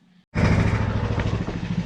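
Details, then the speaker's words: Engine just reassembled after a part was refitted (first installed upside down, then corrected), no leaks seen: catches and settles into a steady, even single-cylinder putter with no knocks or misses; normal running. "So as you might be able to tell, I got it all back together. She runs as far as the know she don't leak."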